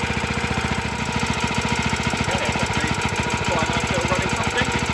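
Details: Early 1954-55 Suffolk Iron Foundry Model 1A engine, cold and unrestored: a quick, steady firing beat of about three to four a second with a light metallic rattle; it runs, but rattly.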